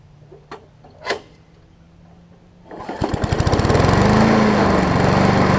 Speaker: Put the new air filter on it, and seems to be running good.